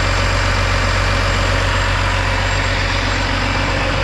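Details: Kenworth W900 ISX diesel started after a head job, check engine light expected to clear: deep, steady idle with a regular firing beat and no knocking or misfire; it runs smoothly.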